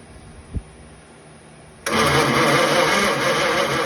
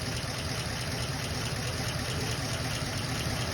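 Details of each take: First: Original 1934 Ford coupe flathead, barn find sitting 20+ years: about five seconds of steady cranking, roughly three turns a second, never catching; very weak spark, owner suspects condenser; no start. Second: 1934 Ford coupe flathead, original semi barn find sitting 20+ years, now on 6-volt positive ground: low, even burble at slow steady idle with no misses, ticks or knocks; normal healthy idle.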